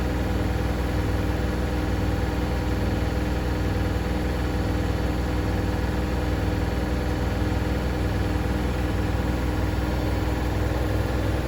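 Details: Hoover DynamicNext DXOA410C3 10 kg, 1400 rpm washing machine, reportedly loud on spin: steady low spin rumble with a fast, loose rattle about twice a second; the cause was believed to be a £1 coin trapped under the heating element.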